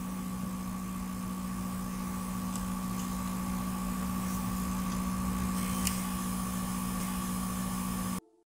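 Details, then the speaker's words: PS5 in-game, sensitive mic close to the vents, audio heavily amplified: steady high-pitched whine above even fan hum and a low drone. Coil whine is louder in-game and quieter in the menu while the fan speed stays unchanged; owner strongly suspects the power supply. "wenn man genauer an geht hört man es dass das spielen hier unten entsteht also ich gehe stark vom netzteil aus"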